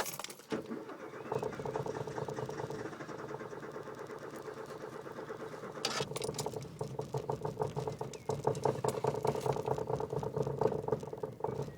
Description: This video was made just before Peusje made her last trip to the junkyard, and she started with great difficulty.